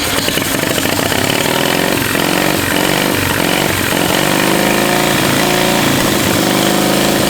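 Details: 700cc twin-cylinder military standard engine built 1987, long sitting, possibly never run, restart after spitting a mud dauber from the exhaust: loud busy clatter, pitch climbs and settles without stalling; normal running.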